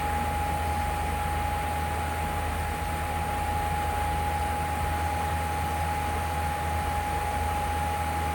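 A loud, steady hum with a thin high tone riding on top that never changes; an unexplained humming noise. Cause suspected, not confirmed.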